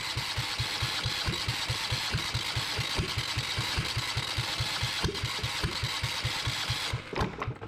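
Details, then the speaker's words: Yanmar 1GM single-cylinder marine diesel in a shop, with cooling water running through to flush the cooling passages: steady, even, unbroken thump at about four firing knocks a second, not bouncing around. Normal running. "I just wanted to start it up I got that water going through there I know the lighting sucks um but thank goodness that I've got it running um and it's not bouncing around"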